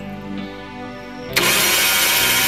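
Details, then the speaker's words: Suzuki APV that died suddenly on the highway, cranking with the throttle held fully open. A fast, even starter whir with no chugging pulses: no compression at all. "ini enggak ada enggak ada kompresinya teman-teman ya Mantap ini enggak ada kompresinya sama sekali"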